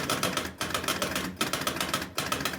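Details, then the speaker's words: Jumping Jack pinball machine, not previously working, powered up with 10 credits: rapid steady clicking from a stepping unit below the playfield, cycling about every 0.8 s and never settling; believed to be trying to reset the bonus. "so it's I believe what it's doing is trying to reset the bonus"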